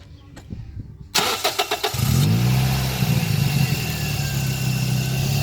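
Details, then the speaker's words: Toyota Yaris T-Sport: quick crank, clean catch and brief flare, then a smooth low idle around 800 rpm with no chain rattle or ticking; healthy engine. "So as you can hear, there's no chain rattle, it's perfectly fine, really quiet. So yeah, that's how the engine should really sound."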